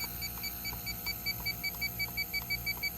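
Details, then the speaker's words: Addison heat pump, about 5 ton, with fault alarm, being checked with an electronic leak detector at the hot gas line; rapid steady high-pitched beeping about three per second, major refrigerant leak, high pressure cutout switch suspected. "let's break out the leak detector yeah all this is certainly leaking see if this is leaking not as bad but I think it's mostly this right"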